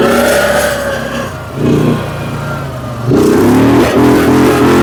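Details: Fire-damaged CF Moto Z Force 800 side-by-side engine picks up cleanly through throttle blips and settles back smoothly with no misses or rattles, running well.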